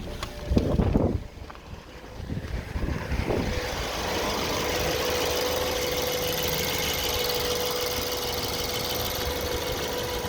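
Uneven knocks come and go over the idle in the first few seconds, then it settles to a steady hum; an intermittent knock.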